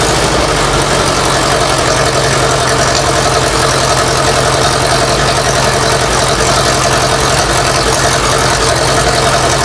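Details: Massey Ferguson 165 tractor from the 1960s after carburetor work: loud steady even idle without stumbling; running again, normal idle.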